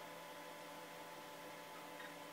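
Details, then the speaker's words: Vintage 1980s hard drive on slow DOS system, after seek-error repair by low-level format mapping out bad sectors: quiet steady hum, no clicking or scraping seeks while loading a game; normal operation. "let's see if we can run this game now there's no dodgy sounds this time loading J Nukem please wait can't hear any dodgy"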